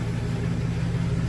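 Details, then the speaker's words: 2000 GMC Sierra 2500HD, new copper-nickel rear brake lines and fresh differential fluid, on stands in drive, two-wheel drive, rear wheels spinning: steady even low drone, no whine, clunk or grinding; drivetrain normal. "So far, it runs pretty good. Runs pretty smooth, so you cannot hear any noise. Pretty smooth, guys."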